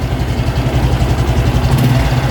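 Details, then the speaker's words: Honda Revo X 2017 FI with a stock engine, right crankcase (clutch side): an even, deep engine pulse with no tick. A tick when revving would mean worn centrifugal clutch shoes and bell. Normal clutch side, no tick. "Untuk kopling juga suaranya harus ini ya. Untuk bagian bak kanan tuh harus, nah bak kanan nih nggak boleh ada suara cek."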